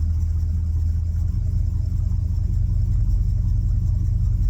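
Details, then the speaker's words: 1972 Ford F750 "Super Pickup" truck V8 idling after ignition rewiring so timing can be read accurately; deep, steady rumble with even firing, no stumble or misses, way better than before; normal idle. "definitely heading in the right direction way better"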